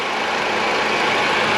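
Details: 2010 PT Cruiser, Chrysler 2.4, engine rebuilt after a broken timing belt, no misfires or codes, a fluid possibly a little low: brief, steady, even idle hum with no skips, ticks or stumbles. Normal idle.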